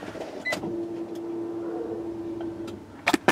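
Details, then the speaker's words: Turbo Acura Integra GSR, newly installed Kemso upgraded fuel pump priming at key-on: steady mid-pitched hum about two seconds then clean stop, a little louder than stock but not obnoxious; healthy prime. "let's prime it okay so it's a little bit louder I don't know if y'all can hear that"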